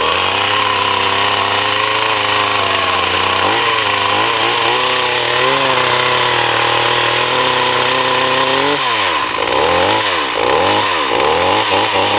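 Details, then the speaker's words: Echo CS 4500 chainsaw, old, long stored, carb rebuilt, brand-new chain, full tank, about 8 °C outdoors in Norway, wet wood. High revs hold briefly, surge unevenly, then it dies right after starting; owner suspects flooding, a recurring problem previously blamed on hot weather. "well it died out not what I wanted I hope it doesn't drown and that's what it did so then I know I have that problem with it"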